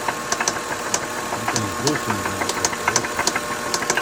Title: Dose anyone knows what the knocking sound in my engine? Gs300 2003. #lexus #gs300 #is300 #2003